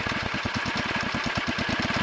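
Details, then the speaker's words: 1963 Wheel Horse 7763 with two 7 hp engines, after throttle linkage adjustment, both engines running: fast even putt-putt idle with occasional soft puff, sounds like one engine missing a little; intermittent misfire, cause unconfirmed. "that's a little better but I don't like that puffing sound sounds like one engine is missing a little"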